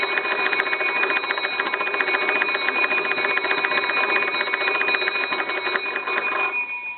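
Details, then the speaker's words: Old wooden wall crank telephone, most likely a Kellogg, after repair: hand crank turned with the receiver hung up, turning easily. Gives a fast, even, bright jangle of bell strikes; ringer works properly. "so that turns nice and easy and rings the bell"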